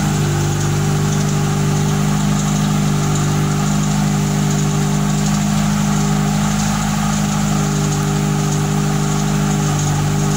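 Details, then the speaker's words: Fiat Tempra 2.0 16V on first cold start of the day, idling with hood open: loud steady drone with uneven rattling hum; owner wonders if rod bearing, piston or a simple bearing, cause unconfirmed, exhaust also very loud. "barulhinho bronzina pistão Ou de repente um simples rolamento de alguma coisa Tempra de munição 16 válvulas fazendo aquele barulho absurdo no motor"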